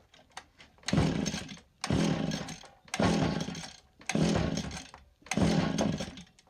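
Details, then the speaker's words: Free STIHL FS80R trimmer with decent compression, choked and primed, switch on: five pulls each giving a wet sputter that never catches, extremely rich with fuel smell; owner suspects carburetor needle and seat leaking, flooding the cylinder. "it's trying to hit seems extremely rich I can smell fuel um I wonder if the needle seat and the carburetor is not holding and it's overring the fuel that's in this your cylinder"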